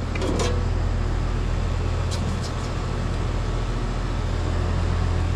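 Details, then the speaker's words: Apartment central AC on a service call, thermostat set to 72 with the room at 79: steady condenser fan hum and airflow but no compressor drone underneath. The condenser fan runs, the compressor does not, and the line set is dry. "Condenser fan motor's on. Line set is dry."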